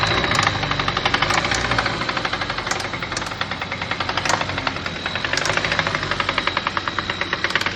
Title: What does a knocking engine / ROD knocking sound like? Signs your engine is finished! #mechanic